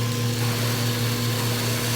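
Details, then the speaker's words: Centrifugal pump trainer, suction valve closed to -10 to -12 inHg: steady pump hum with faint hissing, crackly rush on top; cavitation/flashing just beginning as suction is throttled. "closing the valve and watching the gauge minus 10 inches of mercury minus 12 he could start to hear flashing occur there"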